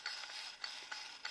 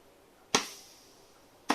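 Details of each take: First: 4L80E transmission (rear-lube style, newly bought parts) from Volvo 240 LS2 project, part turned by hand on the bench: dry, high-pitched ratcheting click; something broken inside, cause unknown. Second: 4L80E transmission (dual feed mod) on the bench, compressed-air check of clutches: four sharp blasts, each a crisp clack with short hiss; fourth clutch applying and sealing well.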